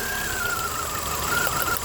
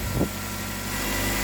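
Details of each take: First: Nissan Altima 2.5 (2010 listed, owner unsure of year), misfire diagnosed without scan tool: idle stumbles with irregular skips when the number two coil is pushed down; coil two arcing, number one also questionable; misfire from arcing ignition coil. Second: 2010 Nissan Altima 2.5 with misfire, restarted after cleaning oily intake, before oil change; brief miss at start then idle settles smooth and even, misfire cleared: normal idle.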